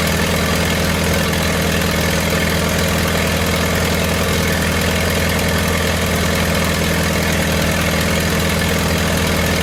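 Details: 1928 Farmall Regular after carburetor tweaks, timing advanced about halfway: slow, steady low chuffing with even beats and no knocks or misses; normal idle.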